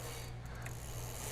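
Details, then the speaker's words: Magnum Navigator electric bike drivetrain check, pedaled and shifted through gears 8 to 1 and back: quiet even chain whir, single soft click per shift, no dragging or extra noise; factory-adjusted derailleur shifting normally. "it's adjusted perfectly from the factory. No dragging, no extra noise. Each shift happened perfect."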